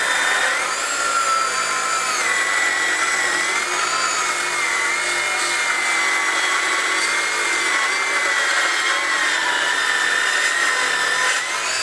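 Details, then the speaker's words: Craftsman V20 brushless 7-1/4" circular saw CMCS550B, battery just over half charged, full-depth cut across 4x4 treated lumber: high motor whine sags in pitch mid-cut and labours; sawdust plugging the dust port slows the saw, though it still cuts. "I want to show you the amount of sawdust that I'm actually pushing on this side because that guy plugged up. That was making me slow down quite a bit while I was making this cut, but at the same point, no problem, was able to do it."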